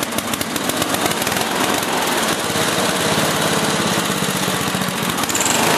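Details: Older 8HP Briggs & Stratton engine on an old Lawn-Boy two-stage snowblower after carburetor cleaning and leaning a rich mixture screw; single-cylinder runs steady and even with crisp regular exhaust beat, no surging or hunting; normal running.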